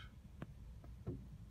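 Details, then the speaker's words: Honda Jazz with ABS fault code 51-1, during a scan-tool solenoid functional test with brake pedal pressed: three sharp solenoid clicks over a low hum with no pump motor buzz; pump motor suspected failed, not confirmed. "just hear it clicking, and I'm feeling the brake pedal go down just a little bit, but I'm not hearing that buzzing from the motor, so let's see how quickly it returns."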